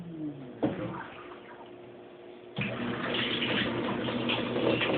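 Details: Kenmore Oasis top-load washer after OL-code repair, spin shut off and pump off at 14 minutes: after a thunk, hiss of water rushing into the tub rises and holds steady; normal rinse fill.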